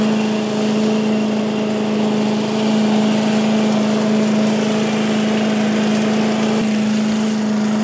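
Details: 1985 Billy Goat leaf blower, Briggs & Stratton 8 HP, after new spark plug, oil change, air filter and replacement gas tank: constant even engine note at fixed speed, no misses or knocks; normal running.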